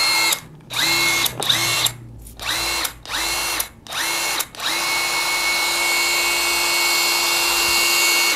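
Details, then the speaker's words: DeWalt impact wrench (DCF922/DCF892/DCF899) after teardown and fresh grease in the gearbox: short free-running bursts then one long even run with a steady high whine, no grinding, running smoother. Normal. "tambah halus guys ya karena kita tadi sudah tambahkan dengan grease dengan gemuknya"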